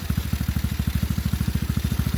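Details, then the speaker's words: TaoTao GK110 go-kart, 4-cycle single, restarted after new carburetor fitted, checking idle adjustment: steady even low thumping about ten firings a second, no misses or rattles; idles cleanly. "So I'm going to fire it up. Make sure that the idle is adjusted properly. Oh yeah, I like this. This is a good one."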